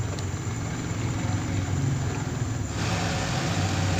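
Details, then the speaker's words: Yamaha Vixion single-cylinder, first start after a major service with a lightened cylinder block, coolant and oil refilled: steady, even low idle with no knocking or rattling; oil circulation at the head is good. Normal idle. "langsung kita coba hidupkan mesinnya seperti apa hasilnya. Oke, mesin sudah hidup."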